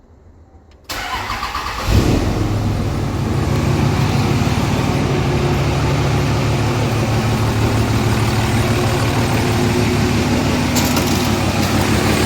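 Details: Diesel truck started after injector replacement and clearing codes, with lots of PB Blaster sprayed into the turbo: starter catches within a second and settles into a steady, even idle with no misses or knocks. Quieter at the front, louder at the rear.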